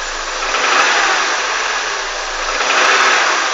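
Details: Honda CR-V engine revved in blips: rough rapping knock rides over the rise in revs; engine knock, cause unknown.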